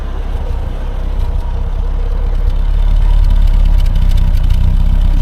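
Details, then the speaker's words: Triumph Herald Estate with borrowed replacement carburettor: low lumpy idle never settling to a steady beat; carb adjustments make little difference, plugs look fine, owner suspects something else, possibly the head; uneven idle, cause unconfirmed. "it didn't make much difference it just doesn't seem to respond to anything I do with the carburetor which makes me think it's something else going on"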